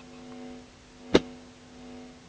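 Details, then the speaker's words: Experimental TDA1519A 6 W stereo amplifier, unshielded, inputs closed with 27k resistors: faint steady mains-pitch hum, louder when a finger nears the input, one sharp click; hum pickup due to missing shielding. "you can also hear how sensitive the circuit is when i touch with my finger i don't touch it you can hear the hem already"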